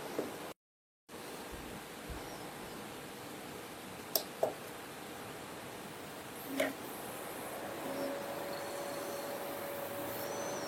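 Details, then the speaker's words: Acer Aspire 1700 laptop from 2003, 22 years old, after cleaning and thermal paste replacement, in BIOS: quiet, constant airy rush with a faint steady tone and no speed changes; fans at full speed because ACPI fan control doesn't work in BIOS. "No i pewnie słyszycie szum strumyka. Niestety w BIOSie nie działa nam tutaj ACPI, czyli sterowanie wentylatorami i kontrola temperatury, więc wszystko idzie na maksa."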